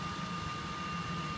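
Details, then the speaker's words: Three-phase machine powered via Phase Changer AVS from a sagging single-phase supply (around 200 V input, output held just over 400 V, input current rising): steady electrical hum, high whine and low rumble; still running normally. "you can hear in the background our machine still operating perfectly well"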